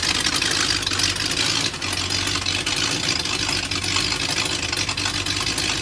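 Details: BMW M62TU V8 (E39 540i / E38 740i) just after a chain guide replacement: it started in time, then the timing chain jumped while running. Rough, uneven idle with irregular clatter; extra exhaust noise because the SAI pipes are off.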